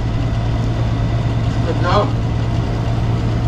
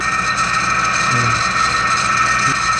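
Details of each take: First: Window-type aircon condensing fan motor running with a constant low drone and a brief rough whirr, the noise traced to a worn fan motor bearing; the fix is replacing the bearing and the compressor rubber. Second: Window-type aircon condensing fan motor after bearing replacement, bench test: smooth, even airy hum with steady fan tone, no grinding or rattle; quiet, normal running.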